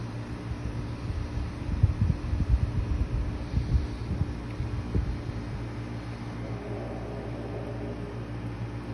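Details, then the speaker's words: BLACK+DECKER portable air conditioner just set up and started in cooling mode: steady low hum with even airflow rush settling after a few bumps at startup; running normally. "all right so the unit is already in the cooling feature i'm not gonna switch at all just to so you guys can hear how it sounds when it starts up and all that"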